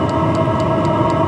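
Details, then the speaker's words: Cheap Chinese clone diesel heater running outdoors, giving full warm air and up to temperature: steady loud roaring hum with a light regular tick about four times a second from the pulse pump. Normal combustion noise. "but the heater is running as i said we're getting full we're getting nice warm air out there now so we're getting really up to temperature"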